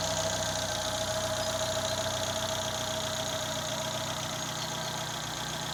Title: bruit moteur